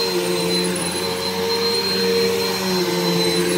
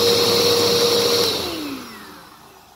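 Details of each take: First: Bissell PowerForce upright vacuum after a belt replacement: steady whir with chirpy squeaks from dry wheels shifting in pitch as it's pushed; WD-40 on the wheels suggested. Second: Bissell upright vacuum after replacing a weak, burnt belt: steady high brushroll whine at full speed, then smooth falling spin-down after switch-off; new belt fitted properly, working fine.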